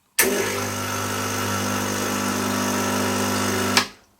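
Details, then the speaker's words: Old pre-2015 Gaggia Classic espresso machine with aluminum boiler: pump starts sharply with a steady, even, low buzzing hum for about three and a half seconds, then cuts off. The pump sounds normal. "Not bad. New model. I think the new model is a little louder, a little more throaty."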